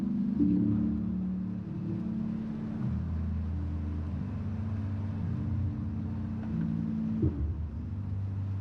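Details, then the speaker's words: Church PA music comes through as only bass and low-mid boom with the highs missing, feared to be blown tweeters or horns but actually a cabling fault; muffled speakers with no treble. "Sendo sincero, eu fiquei morrendo de medo, porque você só ouvia grave, médio grave. Isso era um grande indicativo de corneta ou Twitter queimado."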